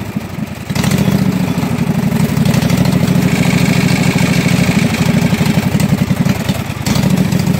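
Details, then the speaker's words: Kawasaki 18hp V-twin on a Husqvarna mud mower, revived after full pond submersion with water in gas and oil; float bowl drained, fresh gas with Sea Foam: catches after short crank, settles into steady, even idle with no misses or knocks; normal. "it is the revival of the kawasaki 18 horse b-twin so apparently this is a really good motor if it was completely submerged under water watering the gas um watering the oil a lot of water in the oil and it fired right up and ran"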